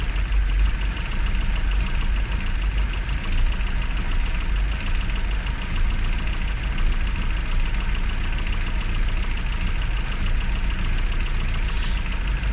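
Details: Classic Rover Mini (Riley Elf), points ignition, restarted after about three months unused on a very cold day: low even idle, steady beat, no misses or knocks. Normal idle; run at least 30 minutes to recover the battery.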